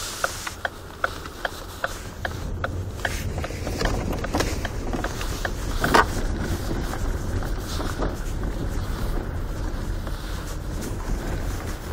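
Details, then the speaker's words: Ford Focus 3, almost 133,000 km, turning right on a rough uncleaned road, camera near the pedal assembly: sharp hollow knocks about three a second from the front; worn power steering rack knocking. "Итак Ford Focus 3 пробег почти 133.000 км слушаем стуки в рулевом управлении рейка ГУР поворот направо и плохая не чищенная дорога"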